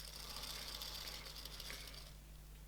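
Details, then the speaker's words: Shimano Ultegra 14000 XSD reel: fine, gritty, fast chatter over a low hum as the spool turns; spider noise worsened after removing it a few times, owner suspects a small chip inside a face is catching. "once you take the spider off a couple of times it seems to it seems to become quite noisy spinning on the spool or spinning up down"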